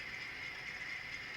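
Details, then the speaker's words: Older Broadway Limited Imports SW7 model locomotive: thin, steady high-pitched grinding whir with no beat from the drive gears; owner suspects the gears are dry and need oiling, not confirmed. "Now, I've spent enough time around these locomotives to know that when you hear that grinding noise, it's usually an indication that something needs oiled, right? It's the gears are just dry and they're grinding"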